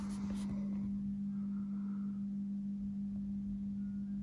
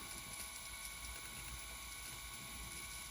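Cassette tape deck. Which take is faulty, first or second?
first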